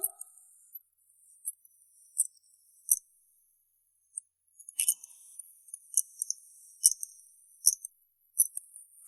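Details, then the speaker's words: Toshiba hard disk that software shows as 100% healthy: faint, sharp, high ticks about once or twice a second, unevenly spaced; repeated ticking or jolting means the drive is bad. "तो अगर आपकी hard disk में बार बार यहाँ पे झटके दे रही है या फिर इसमें टिक टिक की आवाज़ आ रही है तो ये बिल्कुल भी ख़राब है।"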